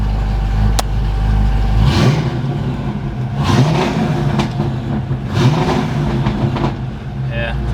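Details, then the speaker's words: Fuel-injected Fox-body Mustang V8, timing set to 12 degrees, firing order verified: idles low, then each blip stutters near the top like a two-step; high-rpm breakup persists, owner suspects the coil, will check the 10-pin. "it sounds like it has a two step it's still doing it i don't know what the heck's wrong with it"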